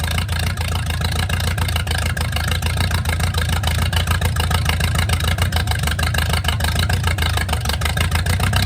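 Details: Mercruiser 470 3.7L carbureted marine engine, first run in 16 years, automatic choke not working properly: even regular low thrum about three pulses a second holding steady; clean normal idle.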